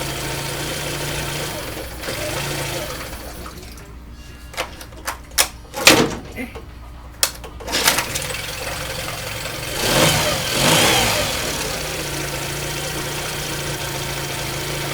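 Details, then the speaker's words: Yamaha 9.9 four-stroke outboard after a manual choke modification replacing the weak electric choke, started first pull: low, even idle hum with some handling clicks midway; idles smoothly and settles well. "won't kill it seems like it works pretty good started first pull"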